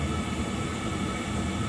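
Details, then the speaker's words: Chinese diesel heater run two-plus winters on used waste oil and other unsuitable fuels, after clean-out of failed-to-start unit: set to max 7.2, steady even roar with constant low rumble, steam from wet exhaust pipe; normal running at full output. "she's fired you've got heat coming out of there you've got steam coming off the exhaust let's put it up to the max 7.2 chucking out some steam"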